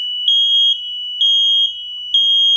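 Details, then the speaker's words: Freshly wired replacement mains-powered smoke alarm, battery tab not yet pulled, sounding on power-up with loud high-pitched beeps, three per cycle about a second apart, confirming correct wiring; the interconnected alarm upstairs also went off, and probably the one in the basement. "Then that tells me that I hooked it up right. But the other one went off upstairs, I could hear, and I think the one in the basement went off."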